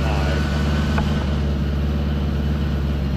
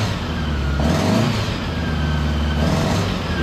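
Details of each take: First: 1975 Honda Gold Wing, 32,000 miles, new Dynatek electronic ignition and coils, warming up before carb sync; choke pushed fully in, almost no throttle cable play. Flat-four burbles at steady fast idle that won't settle. High idle, cause unconfirmed. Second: 1975 Honda Gold Wing, all original, 32,000 miles, just after installing Dynatek electronic ignition and new coils; previously a little hard starting, now starts immediately. Steady, smooth idle, no misses or stumbles. Normal idle.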